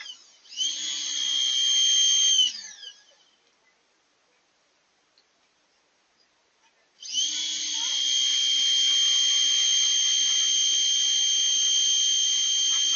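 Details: New shop pressure washer, which owner says works really well: steady high motor whine over a low pump hum runs, stops, then restarts and holds even; working normally.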